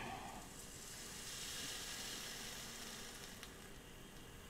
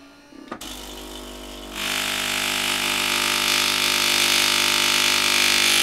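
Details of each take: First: Philips LatteGo espresso machine being tested after disassembly, heating with water in: soft steady hiss with faint crackle like water sizzling on a hot part; possibly heater overheating, more likely water spilled when a hose was removed, cause unclear. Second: Philips LatteGo espresso machine being tested after repair: a click, then a steady high buzzing drone that builds and holds; the pump is running dry and priming while the hoses are still empty.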